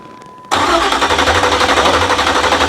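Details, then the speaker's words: 383 stroker Monte Carlo SS during its first start attempt, with a leaking AN fitting: strong even starter churn for over two seconds that never fires; owner suspects no spark. "Hold on, guys. I don't think she's getting spark, though. No, I think we've been hearing something by now."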